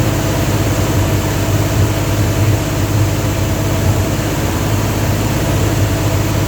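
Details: Dodge 360 Mopar LA V8 truck with Holley double-pumper carb, idle turned up with vacuum gauge fitted: deep, loud, uneven lumpy idle that never settles, won't idle below about 1,500 rpm; owner suspects vacuum leak, possibly intake or carb gasket.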